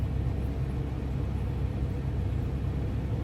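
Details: 2001 Toyota Sequoia V8 idling just after an oil change, oil pressure gauge gradually rising: smooth, steady low rumble with no ticking, knocking or misses; healthy even idle.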